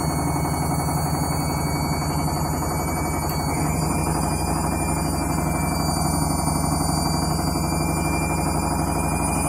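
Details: Candy washing machine on Rapid 30 mini-load program, final spin at about 1000–1200 rpm: the drum spins up with a steady loud roar and rumble building with speed, louder than it should be; noisy spin, cause unclear.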